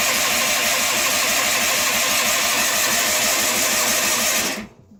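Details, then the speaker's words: John Deere 316 lawn tractor, cold start after sitting about three months with gas in the tank; carburetor is faulty and the choke picky. Steady rapid starter chugging, about five strokes a second, never catches: long crank, no start. It later started after plug check and gas poured into the carb. "Wow. She's really being stubborn. I don't usually like to run these or start them wide open, but if it's not getting gas, I mean,"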